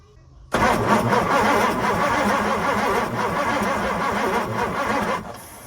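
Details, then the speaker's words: 1964 Ford Thunderbird, 390 FE big block, long sitting; steady starter cranking about five seconds with no firing, no spark, cranking no-start. "okay still not getting any Spark all right I'm going to turn the engine over again and I'm going to see if there is any sparkage happening on these points at all"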